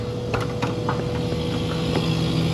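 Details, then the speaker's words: Ice merchandiser refrigeration unit: steady low hum with a constant mid-pitch tone and light clicks, cycling off; compressor straining from a plugged condenser, condenser fan motor failed and thermaled out. "yep plug condenser check condensing un looks newer hotter than a pistol oh yeah caner fan motor goner"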